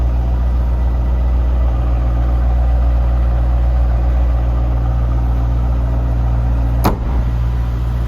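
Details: 2002 Chevrolet Corvette C5 Z06, stock LS6 5.7L aluminum-block V8 after start-up: smooth even low idle rumble with steady beat, no weird noises, lifter tick or rod knock. Normal idle.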